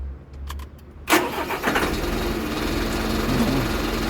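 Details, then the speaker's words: Mitsubishi Fuso truck with hard starting and starter noise: a few loose clicks while cranking, then the engine catches abruptly and idles; the starter Bendix drive is suspected of slipping and engaging poorly. "Minsan mahirap start nag-slide siguro sa no sa bendex"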